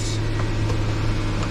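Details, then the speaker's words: 2014 Nissan Frontier 2.5 L four-cylinder automatic 2WD started after spark plug and intake manifold gasket replacement: steady low hum at idle, no ticking, misses or intake hiss; starts right up, no misfire, normal idle. "I mean no in July no misfire [Music] start right up excellent"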